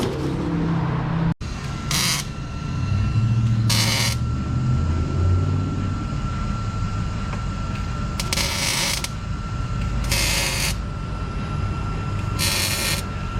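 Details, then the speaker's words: Lotus Elise after exhaust welded back together with muffler kept: deep, steady, quiet rumble with no blowing or rattling before a pull; exhaust sealed and healthy, much quieter than before. "oh yeah back to the quietness we're gonna do a pull real quick"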